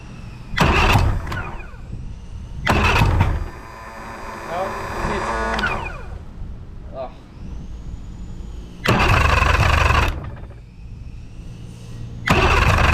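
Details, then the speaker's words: Boat engine after new starter parts: short cranking bursts that stop and restart without the engine catching; the starter drive gear drops away from the flywheel before starting, so the fault is not fixed. "If this little guy goes back down before the engine starts, we still have not fixed the issue."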